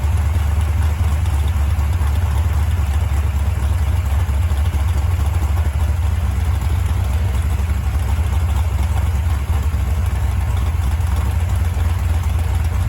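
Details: Stock-stroke, stock-crank 1974 Mopar 400 big block on an engine stand at first start and break-in, warming toward 185°F, steady fast idle around 2000 rpm; faint raspy ticking over low rumble from an exhaust leak at the header collector, better gaskets planned.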